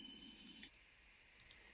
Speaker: If you have a CO alarm or a smoke alarm that you can replace the battery, it can mean that your battery is low. But if it's a sealed-in unit, which means the battery is contained inside it, that means end of life.